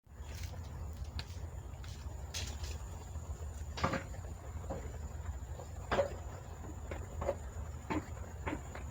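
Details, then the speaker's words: Yamaha Jupiter MX motorcycle front wheel: hollow, uneven clunks over a low rolling rumble, diagnosed as a worn, rusted, loose front wheel bearing that needs replacing. "Masalahnya seperti yang di awal video, ada bunyi klotok-klotok di roda depan. Ya, kita vonis langsung ini adalah kerusakan di bagian bearing."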